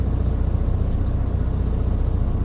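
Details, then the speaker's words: Truck air brake check: engine at high idle after pumping the brakes to drop primary and secondary tank pressure below 100 PSI, compressor engaged and filling both tanks, with a steady diesel rumble and no knocks; the compressor is working normally. "you then say I'm going to high idle and engage the air compressor I can see that both of my needles for the primary and secondary tank are moving so the air compressor is working"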